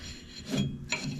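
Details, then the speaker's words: Lawn Ranger mower deck spindle with sealed bearings and no grease zerks, in about 30-degree cold. Turned by hand, it gives three short, dry, gritty, uneven rasping bursts. Rough spindle bearing. "See how rough those bearings are? Well, that's not all of them."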